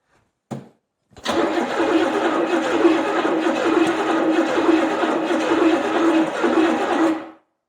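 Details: Buick 350 with points in a 1970 Skylark, first start attempt after an engine swap, extra fuel added: steady rhythmic cranking about two beats a second for six seconds with no catch; cranks but won't start.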